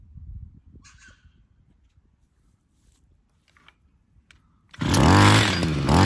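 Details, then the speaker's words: Hedge trimmer two-stroke during a brake cleaner test, its speed surging and sagging unevenly as brake cleaner is sprayed at the intake. The JB Weld-glued intake manifold proved split, leaking air. "You're leaking from somewhere, and I think it's that manifold."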